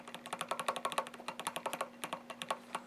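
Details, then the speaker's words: Rapid clacking as a loose joystick on a Haag-Streit slit lamp is rocked back and forth, caused by worn brass control handle and upper bearings. "sometimes on these hog straight slit lamps the joystick will be loose and will rattle"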